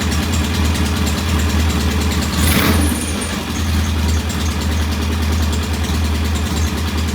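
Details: Norton P11 vintage British motorcycle twin, first start after carburetor fully disassembled and fresh gasoline; loud, low, uneven, lumpy idle with a brief blip; one carb's pilot jet, set about one and a half turns, not following adjustment, suspected partly blocked.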